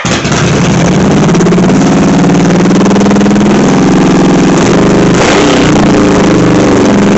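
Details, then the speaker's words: Victory V92 Sport Cruiser V-twin, dead project bike, first start after fixing fuel pump terminal shorting to ground; catches and holds a fast even idle well above normal because the fast idle cable is pulled up. "Prime sure idles High doesn't it well the reason it's idling so high is because the the hot idle cable is jacked up"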